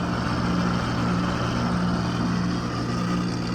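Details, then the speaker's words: AC outdoor condenser unit, about 6 years old (2016), running but not cooling, gauges on; pressure drops only to 188 and stops; loud low droning hum with rough uneven pulse, failed compressor. "压缩机的问题，压力下不去了。压缩机坏了。应该是压缩机的声音，应该是压缩机到188就下不去了，应该是压缩机的声音。"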